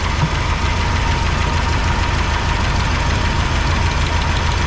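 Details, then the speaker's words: 1985 GMC C25 V8 idling with valve covers off during valve check: steady idle with light uneven ticking heard on one side; valves not yet pinned down, cause suspected. Valve train ticking. "They all got oil. I hear the clicking over here."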